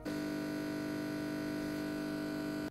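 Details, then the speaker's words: PC/laptop freezing with stuck audio: loud unchanging low buzz held flat nearly three seconds then cutting off; system lock-up with buzz, primary fix suggested is checking CPU temperature, heatsink and thermal paste for overheating. "yeah it's pretty annoying to say the least it is a nightmare to diagnose"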